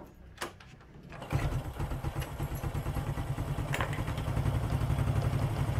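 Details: Four-stroke single-cylinder motorcycle, after valve clearance adjustment and idle air screw reset following a carburetor service for high fuel use: fires after a second and settles into a steady idle of about four thumps a second, running clean.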